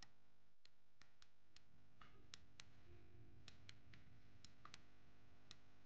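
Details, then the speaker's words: Brand-new replacement solenoid for a Mazda 3 with P2009/P2004 codes, bench-powered with a jumper wire: a crisp single click each time power is applied, showing it switches properly, whereas both old ones were dead. "So now that we've confirmed that the new solenoids do work, they do click at least, another test you could do is the vacuum test."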